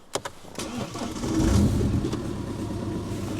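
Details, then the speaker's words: BMW 118d E87 diesel, cold start before repair: cranks and catches with stumbling, uneven misfire on first revs; fault codes 4A6E, 4A5E, 4690 traced to failed glow plug control module, replaced. "You can hear that that kind of sound. And on that first rev it was like a run, like a bit of a missing."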